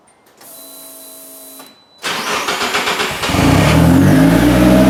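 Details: Start after a five-month winter build, before running through the gears to test the rebuilt clutch lines and transmission: brief whir, quick crank, clean catch, then a steady even idle; starts and runs normally.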